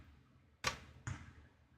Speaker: but because his has the crackling problem i'm expecting to hear a fairly healthy pop in here all right what do we got i'm having trouble connecting to the yeah that's a pop and listen to that when i unplug it